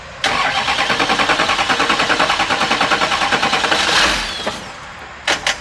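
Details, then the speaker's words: 6.6 Duramax diesel (believed 2006 LBZ, LLY VIN) swapped into a Jeep Wrangler, start attempt: steady cranking at about three compression pulses a second, almost catches but never fires; owner suspects it wants the mass airflow sensor. "It tried. That's more than it did before. I bet you it does want the mass airflow sensor."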